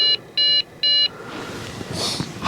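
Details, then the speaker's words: Trash-picked Dell Inspiron 660S, CPU cooler caked with dust, fan spins, stops, restarts: three short high beeps about half a second apart at power-on; owner suspects a memory error, not confirmed. "Yes, I do. Because that sounds like a memory error."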